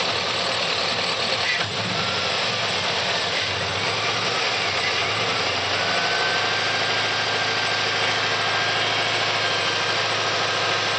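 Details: 2004 Chevrolet Silverado 6.0 V8 idling with fast, light, even valvetrain ticking keeping pace with idle; noise persists after lifters were replaced, source not pinned down.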